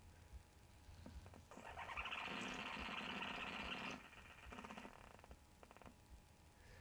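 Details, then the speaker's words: InterM ACR-120M combined CD/MP3/tuner/PA amplifier from a small shop: quiet speaker hiss, then a gritty whirring burst as a disc loads and when play is pressed; DC motor noise suspected to come from the CD player and reach the speakers. "sounds to me like some kind of DC motor noise that for some reason probably originates from the CD player itself and is being output it to the to see the speaker's themselves which is very weird"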